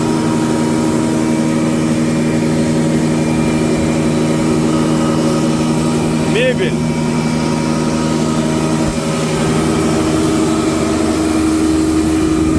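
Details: SR6-10 planer (Krasny Metallist, 600–630 mm planing width, three motors, 8–16 m/min feed) running after a restoration repair in May 2021: a steady, even motor drone with constant pitch and no knocking or grinding.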